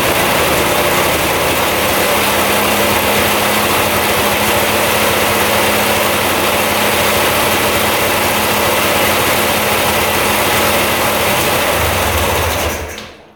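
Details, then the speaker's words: 2002 Polaris Scrambler 400 4x4 ATV restarted after running about 10 minutes; even single-cylinder thump about four beats a second, steady until shutdown; clean healthy idle. "all right that's stting like it should so I think we can put everything back together"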